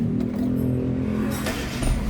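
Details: Hyundai i10 with high idle at 2,000 rpm on the scanner and a throttle position sensor 1 signal circuit code: fast, steady idle well above normal, no dip or hunt; TPS fault suspected, owner says a new TPS was already tried, ECU possible.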